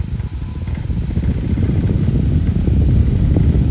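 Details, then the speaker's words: Fan motor after oiling only the front bearing: low, even whoosh builds smoothly to full speed with no squeak or grind; the dry bearing squeal is gone. Normal fan running. "look to speed looks like that did the drink yep that did it he's happy again so all you need was some oil in the front bearing not the back"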